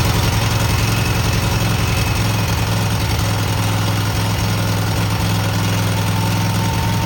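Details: Cub Cadet garden tractor twin just after new spark plugs, carburetor not cleaned, frozen choke, and an unlocated gas leak: an even, steady idle with a low throb and no misses or knocks. Normal running.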